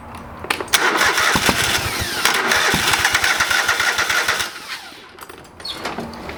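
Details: Old lawn mower's small engine just after a carburetor rebuild. A long stretch of steady cranking, about four turns a second, before it catches while the float bowl fills with fuel. It fired, but not right up. Hard starting after carburetor rebuild.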